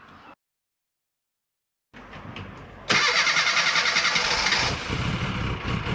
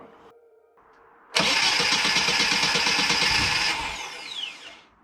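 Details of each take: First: 1990 Mini ERA Turbo (262,000 miles) after fitting a new carb, topping up 20W-50 oil and re-priming the oil pump: brief crank, then it catches and settles into an even idle with a steady pulse; starts and runs normally. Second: 1990 Mini ERA Turbo, over 262,000 miles, just fitted with a new carb: brisk, even starter churning for a couple of seconds never catches, then dies away. Flooded engine that cranks but won't start.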